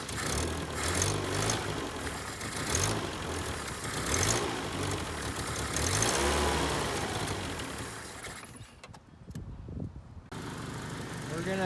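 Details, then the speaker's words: 1979 Honda Civic 1200, sitting about 16–20 years, after a suspected bad condenser was addressed to restore inconsistent spark, timing not yet set: catches, revs up and down, then keeps running on its own for minutes; normal start and run. "it's been running for probably five minutes i'm gonna get everything hooked up and then we'll see how the timing is it seems seems like it's pretty close though seems like it's running pretty good at whatever it's set"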